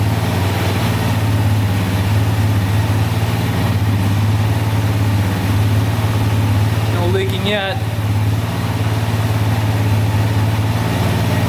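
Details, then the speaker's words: 2004 DVX 400 quad warming up after a rebuild with new valves, valve seals and cam chain, since every valve had been bent; steady even single-cylinder idle with a smooth low thump, no ticking or knocking, a healthy top end. "just to make sure it all works and runs perfect but it sounds amazing uh the valves are doing their job closing perfectly"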